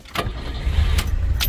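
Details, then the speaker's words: 1985 Lada 1200L, 1197 cc four-cylinder petrol SOHC carburetted engine, car stood 8 years, carb parts renewed, cold start with clutch pedal down: quick crank, catches first try, settles into steady low idle, running slightly unevenly; normal cold start. "Tää lähtee yllättäen. Laakista käynti. Me on tyytyväinen tähän käynnistykseen, vaikka tää kävi vähän tälleen."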